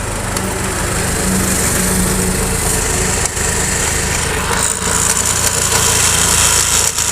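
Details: Honda Activa 5G scooter that leaked oil and was very noisy while riding: the engine runs with an uneven rattly buzz and a rough, gritty undertone. The final drive axle shows heavy play from a badly worn bearing.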